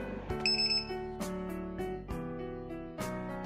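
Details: SunFounder SF250 (QAV250) FPV racing quadcopter: several short bright chirps and tones as the battery voltage alarm is connected to the pack; normal power-up greeting.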